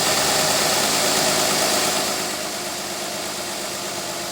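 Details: 2003 Mazda Tribute V6 with misfire from coils arcing due to leaking valve covers, after fixing the misfiring cylinder: steady, even idle with a smooth, regular beat and no stumble or miss. Finding: normal idle.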